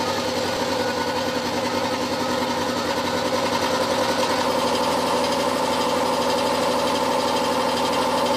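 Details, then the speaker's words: Old air compressor with the pressure switch set near 60-70 psi. Loud, strained chugging with an irregular beat near 105 a minute and knocks as pressure builds. The owner suspects the motor capacitors are going and plans to turn the pressure down. "when i first got it i could run it at about 100 and i ran it flat out as well which is not good for the old things because they just chug and they bang and they crash like this"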